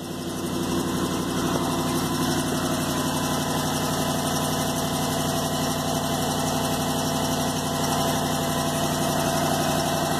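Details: Jeep 5.7 L Hemi V8 idling cold with a fast, sharp tick from an exhaust manifold leak on the driver side. One bolt is broken at the upper rear of the manifold, and there is a smell of unburnt fuel.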